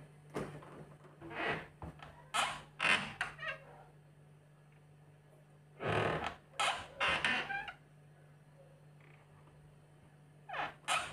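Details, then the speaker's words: Refrigerator middle door: loud squeaky creaks in clusters each time the door swings, over a faint hum; hinge creak, other doors silent. "说家里这个冰箱开这个门就听到嘎吱响，问是什么原因。"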